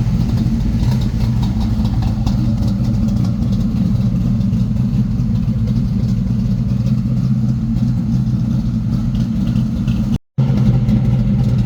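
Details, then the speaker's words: 1979 Monte Carlo at idle just after a new exhaust was fitted at the muffler shop. A smooth, even low burble with no knocks, ticks or exhaust rasp; the engine and new exhaust sound healthy. "Crank it up. Sound pretty good. Still running fine."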